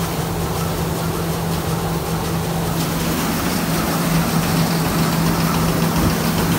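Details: Thresher after repair of its suction fan: steady even drone with constant hum, no knocking, scraping or speed wobble; running normally, sieving better than before.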